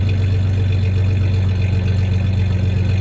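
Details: 1993 Ford Ranger 3.0 V6 idling with a slight misfire and a little rev; deep steady idle with a faint uneven stumble every so often; clanking is bed tie-downs, not the misfire.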